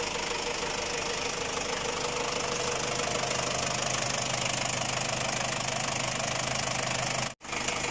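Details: Ford Ranger WL diesel at idle: steady, fairly even knock about three a second over a harsh clattery run; cylinder head replaced with a Chinese unit after overheating, knock cause still unknown.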